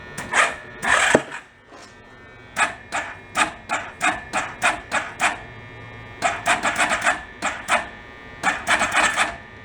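Starter whirs in short strained bursts, about three a second, dragging over compression and never catching; the battery is too flat.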